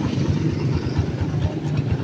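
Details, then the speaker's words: Honda TMX155 motorcycle that was noisy, leaking oil and would not run: a lumpy idle with uneven clattering on each beat from a worn timing gear and a sliding clutch damper, both rattling. "So alam na natin pambansang issue timing gear ta sliding sliding class na din daw"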